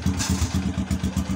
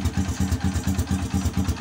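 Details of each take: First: Honda XRM motorcycle after fitting a full-wave rectifier regulator, running with battery disconnected: even, steady single-cylinder idle at about seven pulses a second with no skips; misfire gone, normal idle. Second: Honda XRM motorcycle idling with battery disconnected: low thumping idle about four beats a second with lumpy, uneven gaps; misfire with the battery removed, before replacing the rectifier regulator with a full-wave unit.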